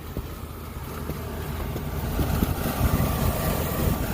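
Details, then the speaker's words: Rooftop condensing unit of a walk-in freezer not staying cold: steady low hum with an even run and no knocking or rattling; compressor sounds good, coil clean. "feel some heat coming out compressor sounds good coil's nice and clean"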